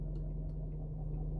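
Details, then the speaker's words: 2012 Range Rover Vogue SE 4.4L TDV8 diesel, LHD, idling stationary: faint low clicking, about three a second, from front left (driver's side), starting as soon as reverse is selected and slightly louder than when steering right in other gears. Heard only inside the car; stops at full right lock; silent in park, drive and neutral; source unconfirmed. "so in park engine running no sound now put it in the reverse and we get that clack"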